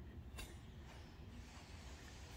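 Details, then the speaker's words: Gottlieb pinball roto target after servicing, stroke set to its upper limit: soft, low whir as it spins freely with no repeated clicking. "clicking so you don't want to hear it going click click click that should spin freely"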